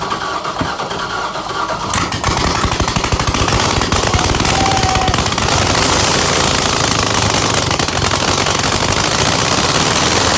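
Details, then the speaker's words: LS-swapped Scion FR-S (FRS) first startup after cranking to prime oil: a couple of seconds of cranking, then a loud, sharp, rapid crackle straight out the exhaust ports; runs fine. Owner suspects a faulty throttle position sensor as idle climbs. "I did it it's so loud dude oh my god do you think I can piss the neighbors off one more time"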